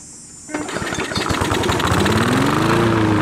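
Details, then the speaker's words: Push mower after carb cleaning, new diaphragm and gasket, and replaced spring: fires straight up and settles into steady, even run, tone rising smoothly as rpm is raised via governor spring levers; normal running. "together all right guys so there you go it's uh running good there"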